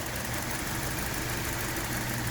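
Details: 2017 Hyundai Elantra, intermittent ongoing misfire after No. 2 coil replaced and computer updated: rough unsteady idle with uneven low pulsing under busy engine hum; source not yet found.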